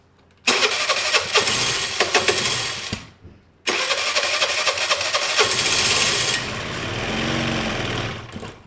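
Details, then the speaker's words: Dumped Piaggio Typhoon 125 two-stroke just started after long sitting, firing, dying and sputtering unevenly when revved, cylinder thought to need to sort itself out; won't rev cleanly, cause unconfirmed. "see if it lets us rev it a little bit it might do it might not [Music] i think the cylinder needs to like sort itself out"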